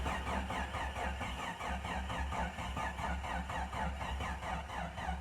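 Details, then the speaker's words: 1993 Jeep Cherokee 4.0 High Output, sat 15 years, just revived with fresh fuel: low lumpy uneven idle stumbling and sagging toward stalling; rough idle, owner suspects debris in injectors. "yeah it's dying going to have to stretch out a look at that she just don't like the idle but she runs good high output 4 lit baby"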